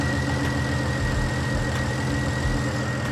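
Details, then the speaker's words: BMW 335i (N54) with a rough, lumpy idle, an uneven low beat and periodic stumbles. It has a misfire code for cylinder one, and a coil connector is found not fully seated. "But it sounds like she has a misfire. I got a little egregious with it and I didn't show you guys the codes, but it does have a code for misfire cylinder one, which is not good."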